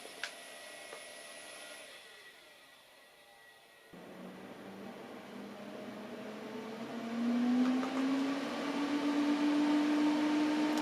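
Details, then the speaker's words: 2008 Mac Pro after months unused, booting from USB 2 drive: quiet hum then fans whir and climb to a loud high whine; fans ramp to full speed as it fails to boot, same as when first bought. "ah so that wasn't very good the fans just ramped up really loud however it did do that when i first got it before i made the video"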